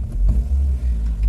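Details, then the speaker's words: Toyota Avensis pulling away with a smooth, steady rumble and no stumbling or surging after a MAP sensor replacement; hesitation, stalling and code P0105 have not returned after a couple of days of driving, apparently fixed. "it moves good too the p0105 code hasn't returned since then and I think this is a definite fix"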